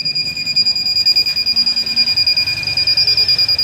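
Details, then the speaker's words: Su-Kam 650 inverter that runs from its button but beeps steadily, about 2.5 times a second, once mains is plugged in; the red wire at the mains input jack is burnt. "Guys, जब हम इसके button से on करते हैं तब तो चलता है, बट हम इसको जब चार्जिंग सॉकेट पर लगाते हैं तो इस तरह से बीप की साउंड आती"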